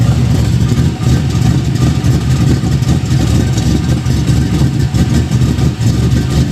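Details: Budget Chevelle V8 after fitting a used 70s Caprice exhaust: loud, even idle, much quieter than before, with a puffing, ticking rasp near the front of the engine; suspected exhaust leak up front.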